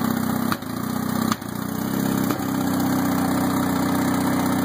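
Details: 1964 Mercury 650 two-stroke outboard at a busy idle with sharp pops about once a second and the speed dipping after each: backfiring, cause not confirmed.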